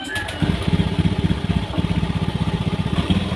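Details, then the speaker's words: Honda Beat FI scooter with intermittent stuttering complaint, just started: low uneven idle around four beats a second, pulses dropping and stumbling, poor response like fuel starvation; faulty throttle position sensor, replaced. "Nah, motor itu responnya kurang bagus ya. Nah, oh, dia itu ngempos ya, seperti telat bensin. Motor ngempos seperti telat bensin, tapi sensor TPS di sini terlihat tidak ada pergerakan ya dari input tegangannya."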